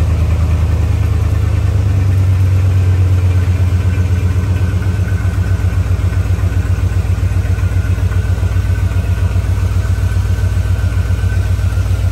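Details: 1977 Chrysler Newport, 400 V8, cold start below freezing after sitting about two months: a low, lumpy idle with an uneven loping beat that never settles. It runs rough; the owner suspects plugs and wires, possibly the spark control computer.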